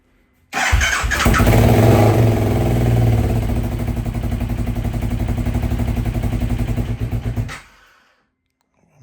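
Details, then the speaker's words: KTM 1190 RC8 R with a damaged engine, jump-started from an improvised LiPo charger booster: starter whirs, engine catches with a little throttle and revs unevenly, then the firing pulses weaken and it dies within seconds; starts then stalls, cause unknown. "Quand je lance le démarreur et que je mets un peu de gaz, ça a l'air de démarrer, mais ça s'éteint très très vite. Donc il y a un souci, regardez ce que ça fait."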